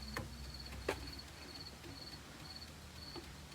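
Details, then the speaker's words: Honda Ruckus after a new fuel pump install, key on with the engine off: faint, quiet ticking as the pump primes and pushes fuel through the line normally. "I hear it ticking. There we go. Now I got fuel running through."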